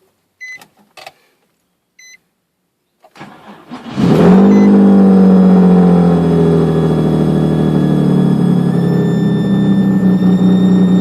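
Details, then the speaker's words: 2003 Nissan 350z with replacement engine (75,000 miles when swapped), noise began after radiator replacement: starts and idles with thin steady high-pitched screech; oil pressure gauge reads very high, noise fading as rpm drops; cause unknown. "replace the radiator and after that it started making this noise let's see if you guys can help"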